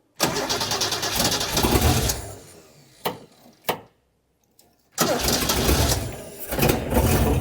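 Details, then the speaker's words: Engine restoration, battery clips tightened and jump pack connected: engine catches and runs ragged for two seconds, dies with a couple of pops, then restarts unevenly; mixture likely needs adjusting, slight fuel leak noted. "We might need to adjust the mixture."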